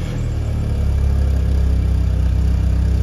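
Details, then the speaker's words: After the alarm plug is reconnected the car starts and settles into a deep, steady, even thrum with no misses; normal running. The faulty alarm was found to block the starter. "Көлігіміз оталды. Демек, біздің сигнализация біздің стартерді блокировать етеді."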